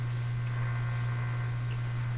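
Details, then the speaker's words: Canadian General Electric A55Z radio during capacitor replacement, just switched on: strong, steady low hum dead even throughout; mains hum unaffected by replacing the first capacitor, owner suspects an error somewhere in the radio, source not found. "had no effect on the hum see what what I suspect is there's an error in this radio somewhere and that's why it's humming"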